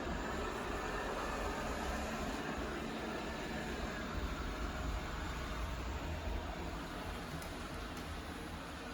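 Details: Used Eufy robot vacuum bought from Amazon Warehouse, first run on quick clean mode after a four-hour charge: steady soft whirring and rolling rumble, no grinding or catching; driving and sweeping normally.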